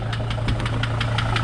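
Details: 2005 Mercedes Sprinter diesel at idle: steady rapid knocking, about five or six a second, over a deep idle. Owner suspects the harmonic balancer, not confirmed; engine knock at idle.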